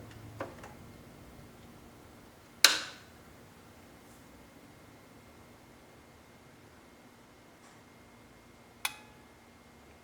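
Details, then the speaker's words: Kenwood KR-9400 receiver brought in for popping and crackling on the right channel, powered up on a dim-bulb tester: near silence, then a single crisp click as the protection relay pulls in normally, with bulbs staying very dim. "You probably heard that click."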